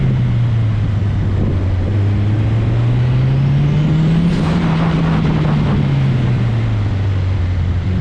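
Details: Turbocharged Honda CRX with B-series head, tuned for about 25 PSI, on a hot autocross lap: engine drone rises and falls with throttle and a thin whistle climbs at the top of a pull; turbo spools cleanly, healthy.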